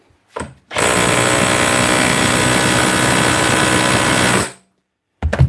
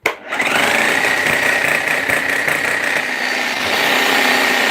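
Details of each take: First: Hammer drill test-run after repair: steady, even hammering rattle for about four seconds, starting and stopping cleanly with no grinding or slipping; normal operation. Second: Bosch GSH hammer on repair bench, grease leaking from the tool holder: spins up to a steady high whine with a rough, uneven rattle underneath, sounding dry; seals gone and grease worn out, needs a service.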